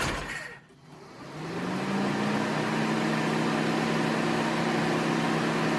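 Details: Mini after head gasket and timing chain reassembly, fresh oil, first start in neutral: fires up, revs briefly, settles to a smooth steady hum with no knocks or rattles; started slightly rough but runs great.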